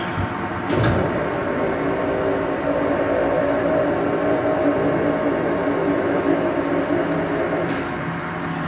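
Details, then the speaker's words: Blanchard No. 18 36-inch grinder with the coolant pump running dry, no coolant in it: steady, even, smooth mid-pitched hum. Pump runs normally. "no coolant in it right now but pump works fine I hope you can hear that or not"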